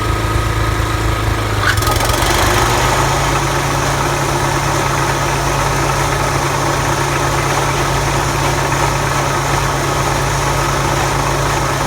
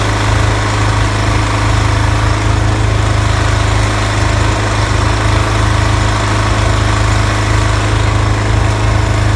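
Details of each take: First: Toro TimeMaster 30in mower running with blades engaged; belts struggle to bring the blade spindle up to speed, then a loud, rough rubbing noise near the belt area and mow deck over the engine, from a failed blade spindle bearing. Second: Toro TimeMaster 30-inch mower after replacing spindle lower ball bearings and setting deck belts to correct tension: steady engine drone, blades turning smoothly with no grinding or rattling from the deck; normal running, loud rubbing noise fixed.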